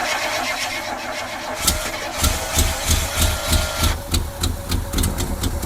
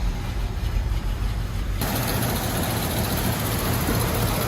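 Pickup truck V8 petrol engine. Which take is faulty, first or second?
first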